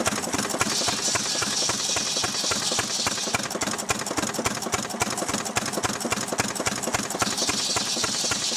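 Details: Restored 6 hp Fairbanks Morse Model Z stationary engine running on kerosene, driving a buzzsaw cutting firewood: even, regular chuffing beats three or four a second under a high saw whine, pulling steadily; normal, healthy running under load.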